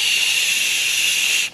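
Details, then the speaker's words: Bearing heard through ultrasound detector: smooth even hiss like air escaping, no crackle or pops; normal healthy bearing sound. "when we listen to this motor a good bearing should sound like air escaping"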